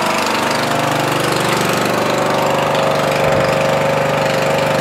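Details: Murray 14.5hp 42" widebody LT lawn tractor after ignition rewiring and solenoid ground fix, lights on, charging 13.5–13.7 volts: steady single-cylinder putter at fast even pace, no misses or knocks, holds speed; normal running.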